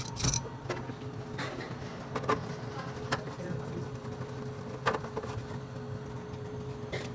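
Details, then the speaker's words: Refrimate beverage display cooler after replacing the worn, noisy fan motor near the compressor: even low hum with only faint clicks, no rubbing or buzzing; old fan had lost bushing lubrication from dust. "bom aí já funcionando o equipamento sem fazer barulho você pode perceber que já não faz barulho"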